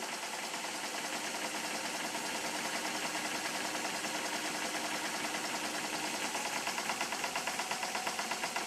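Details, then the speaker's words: Stuart S50 model steam engine on compressed air after shortening the slide valve (valve now opens both ports at midpoint); quick, even chuffing, steady beat, no knocks, runs much smoother than before at same speed, admission at or just after top dead center; normal running. "as you can hear now though it runs a lot smoother I really think it should be okay"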